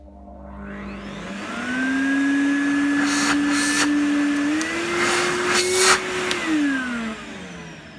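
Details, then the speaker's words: Henry vacuum cleaner reassembled from two units, with a washed filter fitted: the motor eases up with a soft start, settles into a steady even whine, steps up in pitch on high, then winds down smoothly, working fine. "So that appears to be working fine. He's got his soft start and high-low."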